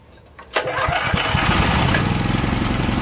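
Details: Troy-Bilt XP 10,500W generator (model 030477) with a Briggs & Stratton 2100-series engine, after a carburetor replacement and a tank and line flush for bad gas, choked, on ethanol-free fuel: catches quickly on a pull and runs steady and even; normal running.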